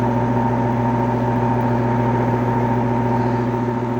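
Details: 1966 Admiral Royal 106 air conditioner, restored, fan running: constant low electrical hum beneath the fan whir, steady pitch; points toward a worn or failing fan motor. Cause suspected, not confirmed.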